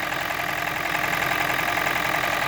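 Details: Toyota Prius 20, 1NZ-FXE petrol engine that knocks and burns oil, at idle: faint fast light tapping over the hum, steady with no rev change; knock of unknown origin, engine to be disassembled.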